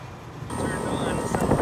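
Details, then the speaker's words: Three-phase commercial heat pump, blower speed just raised for low airflow: compressor starts with harsh rough drone and rattle instead of smooth hum; scroll compressor running backwards on reversed phase, fixed by swapping two supply leads. "But yeah, that compressor sounded awful."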